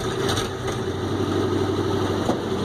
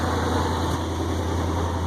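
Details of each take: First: 1965 International Loadstar 1700 at first start, choke out, idling smooth and quiet with a faint puffing tick over the low drone from an exhaust leak at the manifold donut gasket. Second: 1965 International Loadstar 1700 truck petrol engine at first start, idling smoothly with a steady, even rumble and no misses; only an exhaust leak is audible.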